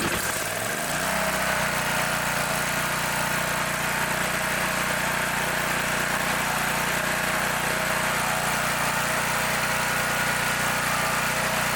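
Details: Brand-new Champion EFI generator that customer reported wouldn't start; fuel smells of diesel or kerosene, suspected poured in then drained. Engine catches within a second, then holds a steady even drone, no misses or surging; runs smoothly.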